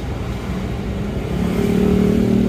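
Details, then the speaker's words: Isuzu Panther Touring New diesel idling roughly, low clatter uneven and loping with tak-tak knock and engine shake; one cylinder seems not to fire, suspected nozzle, delivery valve or injection pump. "Suaranya emang cenderung kasar ya nih, tak terus tidak rata ya. Ada satu silinder itu yang tidak bekerja kayaknya, jadi kurang maksimal."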